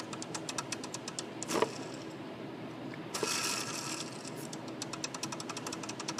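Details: Jeep WJ belt tensioner pulley spun by hand with the belt removed: a dry, gritty whirr with rattling ticks that fades as it slows. Worn tensioner pulley bearing.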